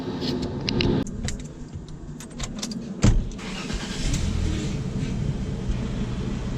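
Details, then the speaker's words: Jaguar after new clutch, flywheel, release bearing, subframe refit, engine flush, new oil and clutch fluid: key rattle, brief crank, catches and settles into smooth even idle with no knocks or grinding; normal start after repair. "It's all complete and it is rolling good."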